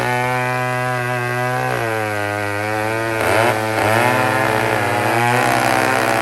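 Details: Old 150 chainsaw made in Toronto, Canada, after carburetor work, cutting a log: crisp two-stroke drops slightly in pitch each time it bites wood, then picks back up; normal running under load.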